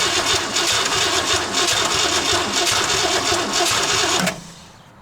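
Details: 1968 Ford LTD, unstarted for over 35 years, with carburetor fuel trouble, cranked during a spark tester check that shows spark: steady starter churn for about four seconds that never fires; cranks but won't start.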